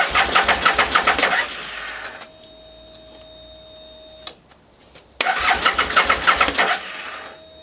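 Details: 2003 Aprilia Tuono Fighter after temporary fix of a corroded fuel pump connector so the pump now primes: engine catches and blips unevenly, drops away, fires again with ragged revs; starts but has fuelling issues.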